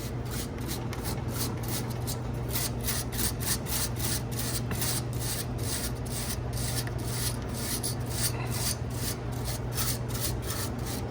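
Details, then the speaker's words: 100-pound ice machine running a harvest cycle, reported squeaking: a steady dry rasping rub with a fast even pulse over a low hum near the condenser fan; technician thinks not the fan motor but loose metal nearby, unconfirmed. "I gotta narrow it down I can't tell if it's I don't think it's the actual fan motor I think it's something in the metal over here wiggling wiggle waggle maybe"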